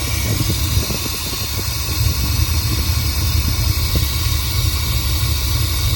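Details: Rebuilt Chevy small-block 350 in truck, new distributor fitted, started to set ignition timing: uneven loping idle with irregular low pulses and scattered ticks over the rumble; running rough from a faulty camshaft, fixed by replacing the camshaft.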